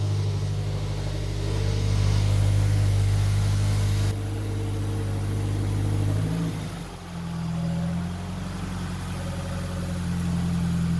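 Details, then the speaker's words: FR-S rebuilt engine at first start after reinstallation into the FR-S, at 92,844 miles odometer (zero on rebuild), half tank of old fuel; brief rev settling to smooth idle with no knocks or ticks. "so close [Laughter] yes and it sounds good heck yeah heck yeah"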